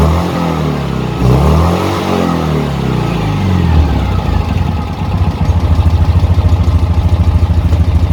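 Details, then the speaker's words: Citroën 2CV twin running with exhaust fallen off, swan neck broken: loud raw open popping beat that sharpens and speeds up on revs; no exhaust fitted. "it just goes on and on doesn't it this is what a 2cv sounds like with no exhaust"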